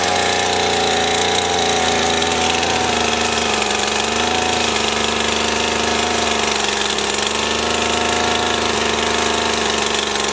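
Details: Stihl FS 80 R two-stroke trimmer, after fuel line, primer bulb and ignition coil repair, holds a steady, even buzz at constant speed with no misses or surging; running properly.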